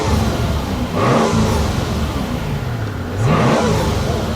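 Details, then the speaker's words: 2004 Mercedes SL600, 500hp twin-turbo V12, started and revved: two clean rev blips rising and falling, soft turbo rush, steady idle between; healthy engine. "Let's fire it up. God, it sounds good. Man, that sounds good."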